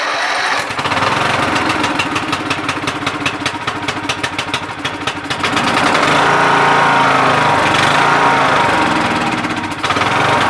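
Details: MTD Yard Machines lawn tractor, 20HP Briggs Intek single-cylinder with replacement carburettor, safety switches bypassed, cover off: engine holds a steady even beat of about four pulses a second at idle without hunting, running smoothly.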